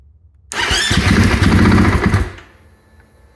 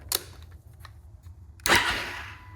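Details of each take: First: Husqvarna FE 501s after installing Taco Moto fuel pump assembly and IMS 4.5gal dry-break tank: two bursts of fast rhythmic cranking, about three to four beats a second, never catches; no leaks, no spark suspected, cause unconfirmed; crank no start. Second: Husqvarna FE 501s with new IMS 4.5 gal tank and Taco Moto fuel pump assembly, first priming: light clicks then steady high whir fading as pump pressurizes normally; no leaks seen, though one clamp was found untightened afterward.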